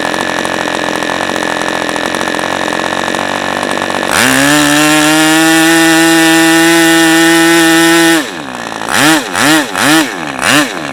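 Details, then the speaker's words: New-in-box OS 40 FP glow engine, first run on stand, 11x5 Zinger prop, OS #8 plug, 5% castor/synthetic fuel, air bleed opened to cure rich low end: rough idle opens cleanly to high steady buzz, crisp even throttle blips; normal running. "Okay, nothing but smiles here. Alright, so there you go. There's the first run of this engine."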